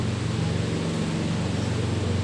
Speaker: So dito maingay siya guys. Nandito yung nagmumula yung ingay niya.